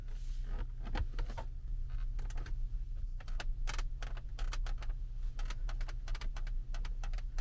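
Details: Kia Carnival KA4 while driving: irregular short creaks and scratchy ticks from the rear cabin trim over a steady low road rumble, interior trim rubbing before repair.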